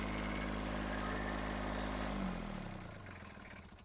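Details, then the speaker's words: Kubota B7001 diesel tractor after replacing the failed alternator, which had caused metallic noise, smoke and belt squeal, and the radiator hoses. Steady, even idle with no knocks or squeals, then a smooth wind-down; charging at about 13.1 V, noises gone. "There are no more noises at all. The engine is working perfectly."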